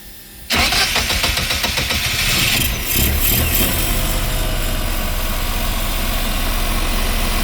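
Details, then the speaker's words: Westerbeke marine generator on a Boston Whaler that overheats after 45+ minutes, started after fuel priming and with a good impeller and a checked strainer: cranks briefly, catches cleanly and settles into a steady, even idle; cooling water flow good. "Sounds good. See anything leaking over here? She's definitely pumping good water. Good water flow."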